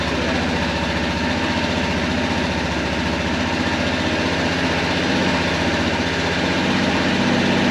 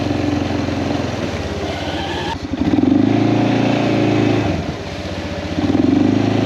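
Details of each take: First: Kawasaki Prairie 400 single-cylinder ATV after engine rebuild with replacement cylinder, first start on choke: loping uneven thumping idle, smoking; carburetor still acting up, owner thinks it needs a float adjustment; rough idle. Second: Kawasaki Prairie 400 single-cylinder ATV after engine rebuild, on a test ride, camera on magnetic base: crisp even thump rising and falling with throttle, no knocks; runs fantastic; carburetor float still needs adjusting; normal running.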